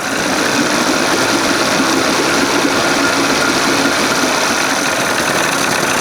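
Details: 1981 Evinrude 20 HP outboard, cold, timing just past second mark: busy uneven idle beat with a faint tip-tip ticking under the exhaust note; owner suspects an exhaust leak; rough idle.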